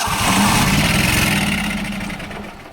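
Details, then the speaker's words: Apparently 1998 Yazoo YTKC22 riding mower, Kohler Command CH22S twin, parked three years with fuel in oil, jump-started: fires and runs with even quick pulse, then fades as it starves; sounds good, owner thinks it needs tune-up and battery. "but uh yeah she does run she does fire she sounds good so i think it really just needs a tune-up and a battery"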